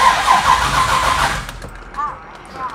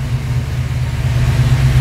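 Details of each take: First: Car with FiTech EFI throttle body, hard start especially warm: long steady cranking with no catch, then sputtering; EFI unit powering the distributor loses switched power while cranking. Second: Warm (200°F) engine with FiTech fuel-injection throttle body fires straight away and settles into an even low rumble after the keyed-on 12 V power during cranking was fixed; a clean, quick hot start, faster than ever before.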